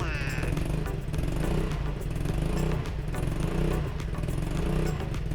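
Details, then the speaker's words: Yamaha Majesty 125 scooter after replacing the exhaust stud bolt and fixing the exhaust leak: soft, low, quiet idle with no exhaust puffing or ticking. "It's so quiet that I can't hear the sound in the video."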